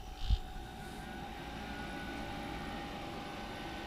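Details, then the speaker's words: Homemade R600a condensing unit (140 W, 1.8 A) in a Budweiser drink cooler converted from R134a. On a call for cooling, the 12 V supply relay gives a sharp click, then a smooth, steady hum settles straight in; it starts cleanly. "there it just called for cooling and you can see the light turned on on the 12 volt supply relay clicked in"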